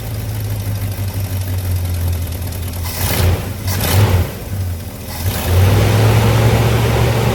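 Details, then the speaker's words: 1985 Chevy C20 truck that sat 10+ years, after new mechanical fuel pump and carburetor reconnected: deep uneven lumpy loping idle with a brief blip, still idling too low; idle needed adjusting. "Nope, still idling low."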